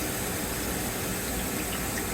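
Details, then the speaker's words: Filter change in a 4"x20" housing (25-to-1 micron filter): inlet valve cracked barely open so housing refills slowly, smooth steady water hiss, no water hammer; normal filter housing refill flow. "Ça ici c'est l'arrivée d'eau. On va tout simplement craquer la valve. pour que ça se remplisse tout doucement"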